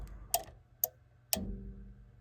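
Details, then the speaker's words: Bosch Greenstar combi boiler with First Company Aquatherm air handler not heating: control board relay clicks three times, voltage for about a second, and the blower motor only hums and bumps slightly each time; board relay suspected bad. "see it it puts voltage for like a second think our relay's bad you see where're we're spin every time I time I hit it it turns a little"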